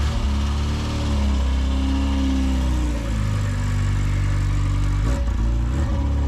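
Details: Classic Mini Cooper S Sport 5, first start in about eight months after cranking without the coil for oil pressure, started on the button: catches quickly, steady low idle, revs up and drops back cleanly; normal start and rev.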